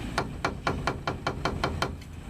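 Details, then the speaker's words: 1999 Dodge Ram shop truck, left upper ball joint, wheel rocked by hand: crisp metallic knocks about four a second from play in the worn press-fit upper ball joint, to be replaced; lowers appear okay. "that and make that noise and that's not good"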